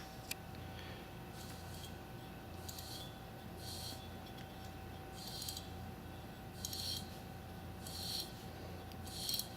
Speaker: obviously the one on the right is the old one the one on the left is the new one and they are pretty much identical now this one's making a lot of noise